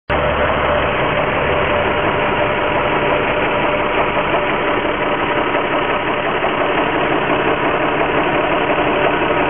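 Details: Infiniti G35x petrol V6 idling with a light, uneven knock/ping from the engine bay, noticed right after an oil change at the dealer; engine knock at idle.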